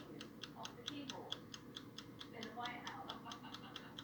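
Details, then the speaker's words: Sangamo spring-reserve time clock dated June 1975, fully overhauled, cleaned and polished: crisp even ticking about four to five beats a second in a quiet room, clock moved closer; healthy running movement. "i don't know if you can hear it ticking i'll move it closer"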